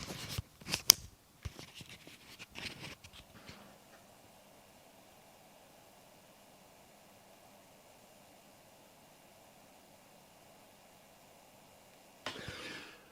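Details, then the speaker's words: 2024 HP Spectre x360 14-inch laptop, 16 GB RAM, while rendering video: after handling knocks, only faint even hiss and soft steady fan hum; fan at its quietest, running normally. "it was also quite noisy the fan noise was quite significant"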